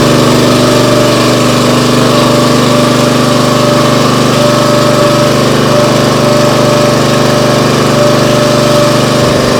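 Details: Briggs & Stratton CR950 208cc engine on a Diamond 25-ton log splitter, after carburetor cleaning for a no-start following a couple of years unused: steady, even beat at mid throttle without surging or sputtering; running properly.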